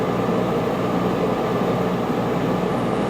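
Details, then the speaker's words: 1995 Starcraft Stardust popup camper rooftop AC after a makeshift breaker tripped, 220 plug run on 110, on low: steady loud blower rush with low compressor hum, no cycling or rattles; running normally. "so we got lucky apparently the ac unit is still good"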